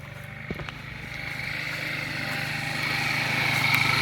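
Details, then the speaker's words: Vortec engine with a 4L60 transmission, abused by a previous owner, earlier knocking and popping with a suspected dead cylinder: steady low throb growing louder and busier as the idle creeps up unprompted. "This thing idling up for some reason."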